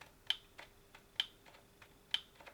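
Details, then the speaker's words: Faulty second-hand Milwaukee M18 Hackzall reciprocating saw (likely brushless), fully charged battery, light on: faint click from inside on each trigger pull, motor doesn't run though it does turn; cause unknown. "Well, we've got a light on, and when you pull the trigger you can hear like a little click"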